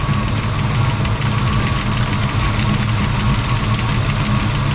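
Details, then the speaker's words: V8 after a sticking fuel injector was freed with a couple of taps from a pry bar: steady, even idle with a deep smooth burble and no missing beat; misfire fixed. "yeah it's definitely better all right a couple couple quick taps with a pry bar the injector is working again"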